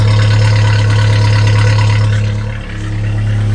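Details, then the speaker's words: 1991 VW Passat B3 1.8 petrol, muffler removed leaving a straight pipe: a loud, deep, steady booming hum at idle that dips only slightly; exhaust drone from the missing muffler. "зараз почуєте глушаку їздив молодий хлопчина щоб ви розуміли немає банки пряма труба"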